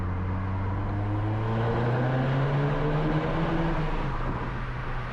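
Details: VW Scirocco R turbo petrol with aftermarket downpipe, after fitting a genuine OEM injector and cleaning intake valves, on a test drive: engine note climbs smoothly and evenly under acceleration, no stumble; owner notes about one negligible misfire per minute.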